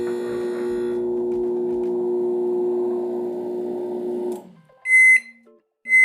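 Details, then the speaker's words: Philco PMS24 microwave running on 220 V makes a loud, harsh electrical hum (roaring magnetron), then stops when cancelled; the magnetron is shorted to the chassis and the magnetron terminal needs repair. "esse é o barulhão eu acredito que deu para vocês ouvir que realmente faz um barulho inacreditável"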